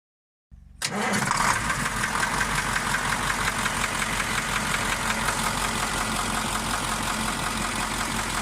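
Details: KamAZ 740.13 diesel, knock located by ear near cylinder 8, fading but not vanishing when its injector line is loosened; scoring on cylinder 8 liner seen with pan off: catches and idles with dull, regular knock; piston knock.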